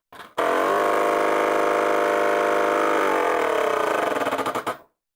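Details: Prusa MMU2S clone on Voron Switchwire under Klipper, homing the idler: harsh buzzing rattle at a steady rate, then a stuttering run that slows and stops; sounded wrong, stepper skipping and grinding, possibly wiring or settings; stepper grinding noise.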